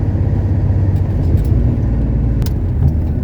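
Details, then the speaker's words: 1970 Porsche 911T flat-six on its road test: steady, even low rumble with no knocks, misses or whine over road noise. Normal running while driving. "There we go. This thing sounds good. Man, it feels good to finally drive"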